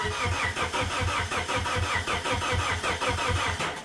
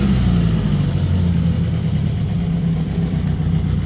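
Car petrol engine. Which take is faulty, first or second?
first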